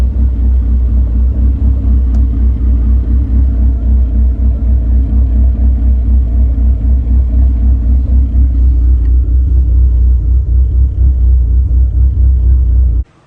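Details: SRT4 with big cams and a big turbo, after tune adjustments reportedly including idle raised 100 rpm for smoothness: a steady, even idle rumble with no stumble until shut-off. Normal idle.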